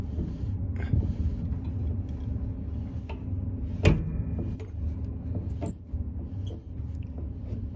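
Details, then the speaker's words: Whirlpool clothes dryer about two to three years old: short high-pitched chirps about once a second over a low rumble as a lint-clogged idle pulley is spun by hand, the dry bearing causing the running noise; fixed by cleaning and lubricating. "spin that it makes that squeaking sound and i'd imagine when that's running it makes that sound a lot worse so well when that's running that's what is causing that horrible sound"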